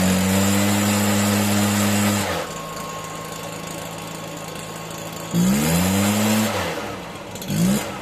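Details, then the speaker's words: Stihl BR 340 backpack blower running on fresh fuel after a no-start, before carburetor adjustment; revs up crisply, drops to steady low idle, blips again with slightly lazy throttle pickup; runs. "ter out putting some fresh fuel in there she starts up and runs so i'm going ahead and adjust that carburetor get it running right and use it"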